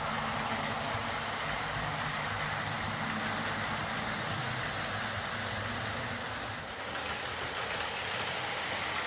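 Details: Old Lima Class 40 model locomotive in BR green, after repair with a completely replaced motorised chassis (original front bogie faulty, wouldn't run): soft even whir, steady hiss, no grinding, stutter or surging while rolling; quiet, normal running.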